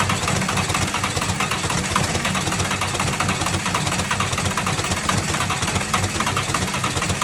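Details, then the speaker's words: Tucker Sno-Cat with 5.9 Cummins 12-valve diesel, start-and-stall then crank-no-start, after bleeding air from injector lines: steady starter churn with occasional uneven firing on one or two cylinders, not yet taking over. "all right as you can hear it's starting to fire so we might have fixed it"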